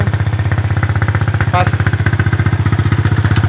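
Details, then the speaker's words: Honda Supra/Mocin-type single-cylinder motorcycle after fixing the faulty ignition coil (spool), which gave no spark: starts on the first kick or starter press and settles into a steady, even idle at about four thumps per second. Small exhaust pops remain, carburetor still needs tuning. "Ya, langsung sekali hengkol langsung hidup. Langsung sekali start langsung hidup. Tinggal menyetel di karbunya saja, ada letupan-letupan kecil di knalpot."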